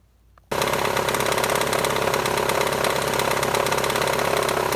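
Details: 2000 Toyota RAV4, 215,000 miles, with a no-start being checked for battery or alternator: engine catches at once and settles into a steady, even idle with no knocks or misses; normal idle.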